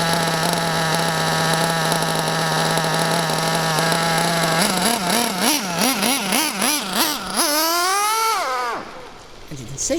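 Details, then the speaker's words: Bio Hyper 7 nitro buggy with a Mach 28 engine: the high-speed needle is leaned out to an extreme, so the engine is fuel-starved with too much air. A steady high scream hunts up and down, then climbs and cuts out; this condition is dangerous for the engine and needs richening immediately. "the engine is so lean it was starved of fuel that is a very extreme case the engine is running so lean it's got not enough fuel going in there way too much air"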